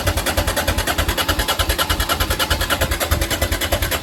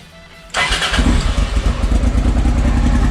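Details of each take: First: Honda XL650V Transalp that won't start after a service and a month of storage: steady starter churning with even compression pulses and no firing. Owner suspects the carburettor float bowls emptied as fuel evaporated, or something stuck in the carbs. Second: Honda XL650V Transalp after priming fuel into the carburettors: it starts on the first try into a strong, even V-twin beat with no misses; new Arrow exhaust with dB killer, clean header burning off, running healthy.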